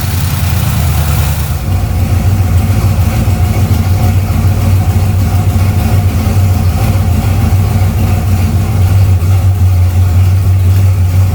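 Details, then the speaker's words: V8 just after starting following battery reconnection and refuelling: a deep, even idle with a smooth, steady rumble and no ticking or knocking; sounds healthy, like an old pickup. "It don't sound bad. No, it don't. It kind of sounds like old pickup truck."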